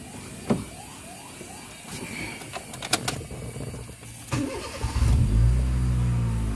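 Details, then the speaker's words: Honda Jazz GD3 automatic, pre-purchase inspection: after a few clicks the engine cranks, catches quickly and settles into a low, even idle; engine and transmission run smoothly; normal start and idle. "Terus Semuanya sudah clear Dik mesin dan transmisi hidupkan halus seperti ini"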